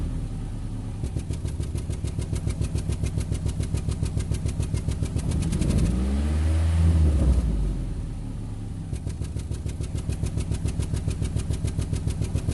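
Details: 2008 Nissan Rogue with check engine light and code P0300, rough idle, worse in low gear: uneven low idle with rapid rattly pulse about 3–4 per second and a brief rev; misfire suspected, unconfirmed.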